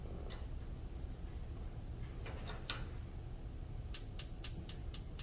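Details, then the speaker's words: Gas range burner being lit while gas pressure is read on a meter with another burner running. After a quiet stretch come six sharp, even igniter ticks at about four per second: normal spark igniter clicking. "So watch the meter as I go to light another one. Let me plug it in. And I'll light this front one here."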